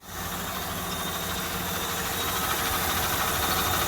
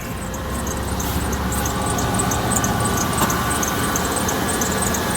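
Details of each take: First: 2001 Dodge Ram 1500 just started after idler pulley replacement: engine catches and settles into smooth, even idle with no belt chirp or squeal; normal idle. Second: 2001 Dodge Ram 1500 with failed third gear: harsh running noise with a thin high squeal at startup and while running, probably from the belt drive; belt tensioner already replaced, idler pulley and possibly serpentine belt to be changed next.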